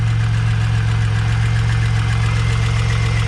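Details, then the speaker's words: Pontiac Bonneville SSEi, new supercharged L67 with ZZP VS cam, intercooler and ported M90, first run, hot idle: quick regular tick near four a second over steady hum; no knocking, suspected header exhaust leak, unconfirmed. "but the ticking is still there yeah i'm not doesn't sound like anything is like knocking no but it does actually sound like an exhaust leak"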